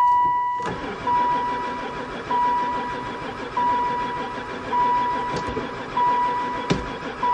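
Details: 2002 van that sat about 4 years, cranking after fuel was added. Steady pulses about once a second under a repeating warning chime, never catching; owner concludes it has no spark.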